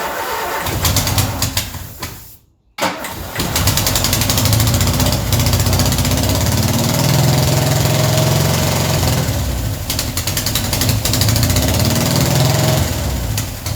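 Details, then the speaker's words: Ford Escort neglected for 14 years, fuel pump now connected to the carby feed line: starter churns about three and a half turns per second but never catches; crank no start because no fuel is reaching the carby bowl. "No fuel in there yet. I thought that would have been pretty close to filling up by now. Still no fuel. I wonder why that is."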